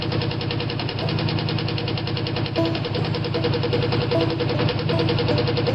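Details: Ford engine that sat all winter on a battery tender, idling on seven cylinders: steady rumble with a repeating knock about three or four times a second, consistent with rod knock.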